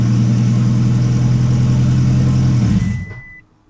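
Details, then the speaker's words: 2008 Toyota Prius after an in-vehicle engine rebuild and timing job, injectors, airbox and MAF deliberately unplugged, codes cleared; steady starter cranking at about four pulses a second with no firing, intended no-start before reconnecting. "All right, it did not start just like we wanted it to, so it failed again."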